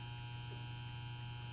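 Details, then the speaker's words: Electrical panel: steady low buzz from a breaker sitting right above a melting, overheating bus bar that is burning the next breaker; shock hazard. "if you look here the bus bar is melting and it's burning the next breaker as this one buzzes right above it"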